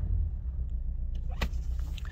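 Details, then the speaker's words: 2008 Toyota Corolla ZRE152 at 151,000 km, check-engine light on, shuddering at idle in drive: low, lumpy, uneven idle rumble with a dead hole, running on three of four cylinders; misfire. "it's it's a it's like it's got a dead hole you know it's running on three out of four cylinders"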